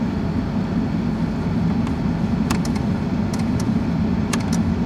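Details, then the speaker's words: 1995 Ford Crown Victoria LX, under 12,000 miles, at idle: sharp clicks in small clusters over a steady rumble from the noisy auto-lamp headlight switch, whose contacts oxidized from low current; headlights work only half the time. "I have a noisy switch basically. Because it has the auto lamp, the headlight switch really controls relays."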